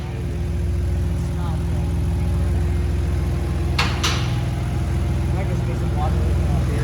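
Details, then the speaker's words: Built, turbocharged Infiniti G35 on first start after rebuild, new colder iridium plugs fitted: steady low idle with a loose, uneven rattle underneath; flywheel rattle at idle. "oh yeah fans are working you can hear the [ __ ] collection flywheel that's for sure dude that sounds insane"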